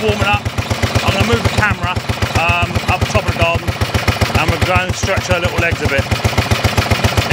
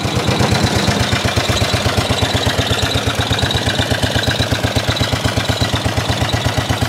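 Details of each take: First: 1930s Dennis Z-type 30in mower, barn-stored for years, after points and carburettor clean, warming up with choke off and no exhaust fitted: sharp, loud even cracks about four a second from the open port. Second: 1930s Dennis Z Type 30-inch lawn mower, revived after points and carburettor clean, warmed up after a run: rough single-cylinder chuffing at steady idle about three beats a second, shaking, rattling, backfiring; running normally for an old mower.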